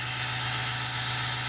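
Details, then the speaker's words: Airbrush spraying water at 30 psi (set 28–30 psi), trigger opened and feathered: smooth, unbroken hiss over a low compressor hum, no sputter, pulsing or intermittent sprays. Normal spray. "open it up water's coming out you can feather a different amounts the water's coming out nice smooth flow"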